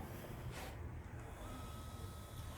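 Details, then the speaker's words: Replacement Z motor running in constant mode, compared with a known bad motor: low, soft, even hum with no knocks or whine; normal motor run. "what a good motor should sound like just that low"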